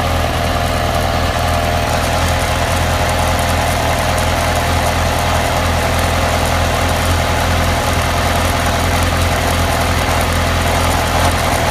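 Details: Loud steady idle with a low throb and a loosely repeating beat over it; abnormal engine noise at idle, cause unknown.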